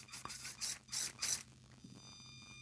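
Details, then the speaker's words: Redcat Ascent 32 RC crawler, new out of the box, first switch-on: a few ratchety bursts, then a thin, steady high-pitched whine from the motor and gears at rest. "the whine. Listen to that whine, guys. It's making a song."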